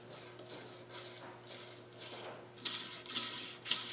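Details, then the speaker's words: Husqvarna 372XP chainsaw during rebuild, parts spun by hand: dry gritty rasp fading about twice a second instead of smooth whir; owner suspects a bearing is gone, causing clicking. "i don't like the sound of that either i'm thinking that one of the bearings that might be gone"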